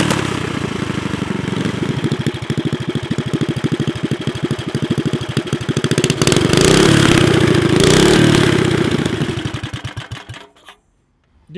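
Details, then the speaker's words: Built high-performance Briggs & Stratton 5 hp flathead with racing piston, honed cylinder, on rat rod wagon: catches, settles to even idle, revs smoothly, shuts off; normal idle though still very smoky. "I mean, it sounds good. It idles. It's just really smoky."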